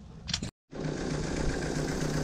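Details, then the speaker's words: Motorcycle running after carburetor float work, following earlier rough running. After a brief handling rattle it settles into a steady, even idle with a clean low beat and no stumbling. Normal idle. "running smooth seems like it's ising pretty steady I still need to check all the fluids and everything and kind of go through it but looks like it's running smooth now"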